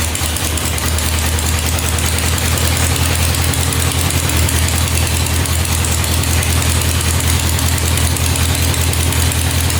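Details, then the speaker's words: Non-running 1967 Volkswagen dune buggy, first start in neutral after adding 2.5 quarts oil: lumpy loping wet idle, very smoky, gas or gas-oil mix coming out the exhaust; running rich, fuel flooding. "Looks like gas is coming out of the exhaust, so he was right about that. Eee, that doesn't look too good. I think that's gas."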